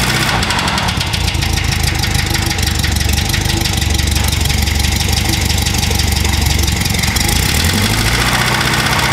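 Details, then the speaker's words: 1200cc 40hp air-cooled VW engine, odometer 44k, first start on a 6-volt battery before a planned rebuild: rough idle with loose, uneven knocking, about four a second; owner suspects rod knock, unconfirmed. "definitely sounds like a rod knock man I don't get it the odometer only reads 44k that seems a bit early for a rod knock"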